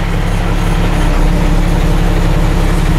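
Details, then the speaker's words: Garbage truck diesel engine, known diesel leak, idling in neutral: deep, steady clatter with even beat and no misses or knocks; runs like a sewing machine, healthy. "good hit neutral looks like it bet she runs like a sewing machine oh yeah"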